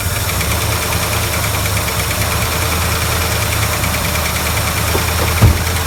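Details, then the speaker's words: 1970 or 1971 Ford Torino GT 429 V8, sat about 15 years, fuel bypassing the original tank: steady low idle with a slightly uneven beat and a thump; poor running, stuck carburettor float suspected. "I think float's stuck. So I'm probably gonna dig and try and fix this float."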